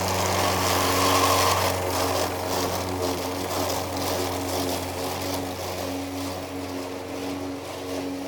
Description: I am mowing the lawn using an old Toro Recycler with a Bad transmission. So it is making lots of grinding noises as I am mowing.